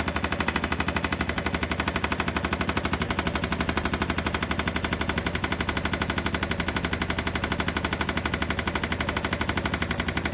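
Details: 2016 Yamaha Viking EPS UTV at idle: loud sharp even knock about four per second, steady throughout; internal engine knock, cause unknown.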